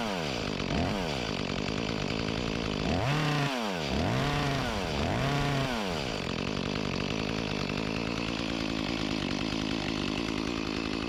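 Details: Echo CS-352 chainsaw after a replacement carburetor and gasket fixed its start-then-die fault, cold-started on choke: clean revs rise and fall quickly, then a steady cutting note; runs and pulls properly, with a slight bog the owner blames on a dull chain.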